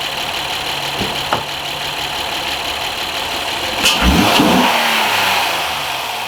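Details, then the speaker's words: 2010 Honda Accord 3.5 V6 after spark plug and coil pack replacement for a flashing check engine light misfire; idles smoothly, then revs up high cleanly and drops back without stumbling or popping, misfire gone; lean codes P0171/P0174 remain pending a new intake boot. "I guess it sounds good. Whatever, it sounds pretty normal. Let's give it some gas and rev it up high."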